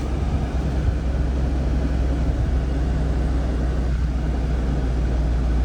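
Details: 2020 Jeep Grand Cherokee 3.6 V6 just after a serpentine belt replacement: a steady, smooth, even idle hum with no squeal or chirp from the belt area. Running normally.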